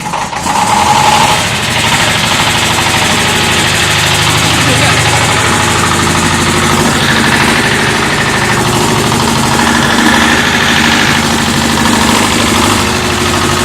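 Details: David Brown diesel tractor, which had been hard to start (a flat battery was questioned, throttle linkage checked): after a long crank, diesel clatter settles into a steady idle with no misfire or stumbling; now running fine.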